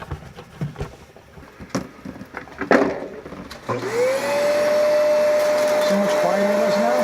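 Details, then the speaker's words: Kenmore vacuum cleaner powerhead after disassembly, cleaning, debris removal and belt replacement: after handling clicks the motor spins up to a smooth steady hum with no rattle or scraping, working better and much quieter than before. "As you can see, it's working better, and it's a hell of a lot quieter."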